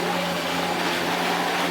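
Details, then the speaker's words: Hitachi Powerhouse CV-460D upright corded vacuum, circa late 1980s–early 1990s, running: steady high whir with a rough, gritty noise from the brush roll; suspected collapsed brush roll bearings, as seen on a later 90s Powerhouse. "There is some flipping horrible noise coming from the brush roll, and these things have, and I have had this on actually a 90s Powerhouse, the grey one that came after. The bearings collapsed themselves on the brush roll."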